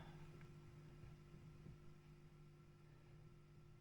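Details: Fenton Weil Porta 15 tube bass amp, kit-built with dodgy wiring, after fitting a 180 ohm cathode resistor and 22 µF bypass cap with bias about 10.68 W: quiet steady low hum with a faint upper tone, no playing; hum of unknown cause.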